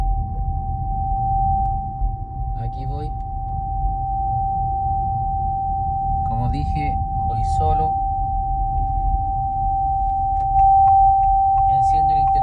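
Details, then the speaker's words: Haval H6 HEV driving in traffic: a loud, steady, piercing tone near 800 Hz over road rumble. Not the radio or air conditioning; it persists with the vehicle off and grows with the indicator. Cause unknown. "No sé. Se escucha súper fuerte. Me voy a parar un poco más allá, saliendo de este taco. Apagué el aire, no es el aire. No sé qué es lo que es."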